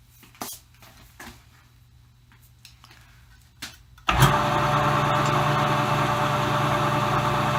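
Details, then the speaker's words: Vintage lathe Dominion Auto-Drive gearbox after oil change to 15W-40, lathe belt disconnected: few light clicks then steady even whir at slowest speed, no knocking or grinding; sounds as before, high speed perhaps smoother; healthy. "so that sounds exactly like it sounded before to me the high-speed might sound a little bit smoother it's hard to tell"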